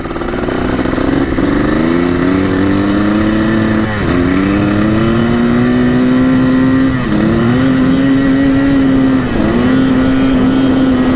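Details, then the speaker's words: 1984 Yamaha YZ490 two-stroke dirt bike, first test ride: loud engine pitch climbs in steps through the gears, cleaning up and revving freely; healthy two-stroke clearing out under throttle. "[Applause] clearing out"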